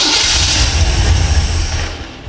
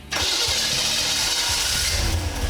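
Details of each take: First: Engine on a stand with a newly installed FiTech throttle body EFI, after fuel prime, fires on cranking but dies within two seconds with 0 RPM shown. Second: Engine with a newly installed FiTech throttle body EFI, after verifying fuel pressure, tach wire and tach selection, cranks briefly, catches and settles into a steady, even low idle with light blips; normal start.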